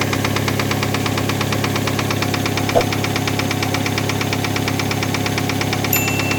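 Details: 2007 Hyundai Tucson 2.0 4WD, 210,000 km, idling: sharp, even tick-knock about three per second at the top of cylinder 1 after a valve cover gasket change and revving to 3000 rpm; exhaust valve not seating suspected, not confirmed.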